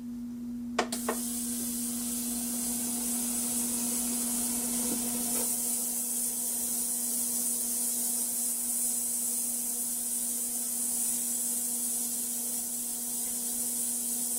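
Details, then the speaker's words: Repaired cheap ultrasonic cleaner (used for carburetors; died after about 100 days), tested the next day with the tray fitted: steady buzzing hum and bright fizzing hiss, cavitating properly from the bottom instead of the earlier muffled sound. "with that tray in there, it kind of settled it down. Now it's not, just cavitating like it was before. But you can definitely see it coming from the bottom, and you can definitely hear it."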